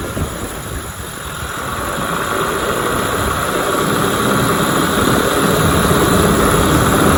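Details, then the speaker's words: 1996 Johnson 15 HP two-stroke outboard, which had been losing power, running on a 40:1 fuel mix (50:1 specified) and smoking a little while pumping cooling water. An even, steady drone building in loudness with no stumbles or knocks. Normal running. "she's smoking a little bit I got a 40 to 1 mixture in my gas because I work on the older Motors so it should be 50 to one so it smokes a little bit it runs pretty good"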